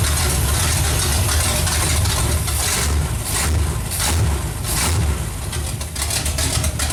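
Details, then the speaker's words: Pontiac 455 V8 with open headers, no exhaust, freshly installed: loud raw rumble, steady slightly lumpy even idle; healthy running. "sounds good hopefully your runs as good as it sounds and uh we actually got to quiet it down because we got to put an exhaust on there"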